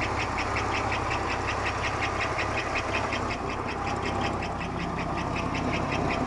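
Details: 1991 Buick Park Avenue 3.8L V6, hot or cold, right after start: steady idle with a sharp, regular ticking knock about 160 per minute; unchanged with accessory belt removed, performance, fuel economy and oil pressure normal; engine knocking, cause unknown.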